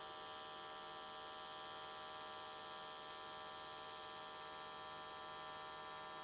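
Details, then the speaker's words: AC TIG welding aluminium S13 catch cans, vertical welds, after switching to square wave: constant harsh electric buzz at steady pitch, no crackling or sputtering, arc definitely more stable than before. "okay it looks like everything came out really nicely the arc was definitely more stable"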